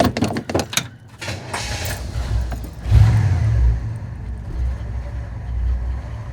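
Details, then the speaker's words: 1964 Chevrolet Impala SS convertible, 327 V8 250 hp, cold start with choke not yet in; keys rattle, brief crank, catches and settles into a deep, even, low idle, a healthy cold start. "choke's not in yet. It may kick in and out a little bit higher in a second."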